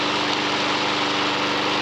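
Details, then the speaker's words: Non-runner lawn mower (Honda HR173 or Kubota 5 hp OHV), self-drive, received with the fuel evaporated from an empty tank, starts on fresh fuel and runs with an even, steady drone at constant pitch, no misses or knocks; normal running, full service and drive check planned. "moving oh yeah it's a runner we've had a bit of a touch really all these mowers with a bit of fresh fuel in them they've actually all gone on to start up"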